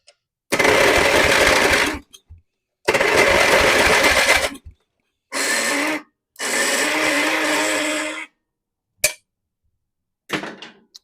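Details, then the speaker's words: Abandoned mower with melted plastic around the starter: harsh one-to-two-second grinding bursts with no engine catch, as the starter pinion strips its teeth and only about three good teeth remain. The starter is considered toast. "oh dude that starter it's literally destroying the teeth right now I don't know if that's even going to start it anymore"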